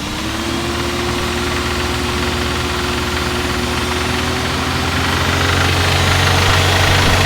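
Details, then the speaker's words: BMW E34 with an M50 B20 engine that starts easily and is quiet at idle: revs rise with a regular metallic rattle from about 2000 rpm to the rev limiter, not louder under load. A VANOS knock is suspected. Engine rattle above 2000 rpm. "сейчас заведен заводится с полтыка так никакого шума нет шум появляются в районе 2000 оборотов штук и продолжается до отсечки"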